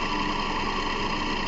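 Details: 2010–2012 Toyota Camry with the 2.5 2AR-FE engine at idle: a dry whirring chatter from down low that sounds like the timing chain but is a worn idler/tensioner pulley; the pulleys and belts are to be replaced.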